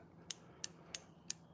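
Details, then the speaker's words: Mustang fuel injector number seven triggered by a homemade 9-volt battery and switch tester: four crisp clicks about a third of a second apart as the solenoid opens properly; whether it sprays cleanly is unknown. "You hear it? That's that little selenoid triggering."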